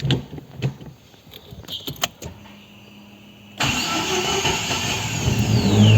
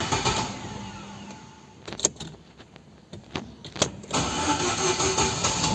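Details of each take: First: Chevrolet Celta after starter motor overhaul (new brush holder, greased dry planetary gears) for slow, hard starting: a few quiet clicks, then engine catches at once and runs steadily; normal start. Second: Celta cranking before starter repair: it never fails to start but turns slowly, and the owner reports heavy starts. Sluggish, laboured cranking under three beats a second before catching; slow starter from dry gears and worn brushes.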